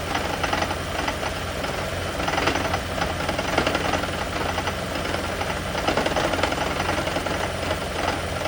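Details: Lexus/Toyota hybrid (e.g. CT200h/Prius) with an EGR system being diagnosed; engine running with an uneven, harsh metallic rattle and knocking; an internal death rattle, cause not pinned down.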